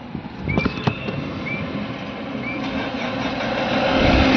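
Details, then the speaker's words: Tata Safari Dicor 2.2 diesel after replacing the camshaft position sensor for code P0340 no-start: a few seconds of cranking, then it catches and settles into a steady idle; starts perfectly. "Friends गाड़ी हमारी start हो चुकी है, एक बार फिर वापस से self लगाते हैं बंद करके। ये गाड़ी हमारी परफेक्ट तरीके से स्टार्ट हो चुकी है।"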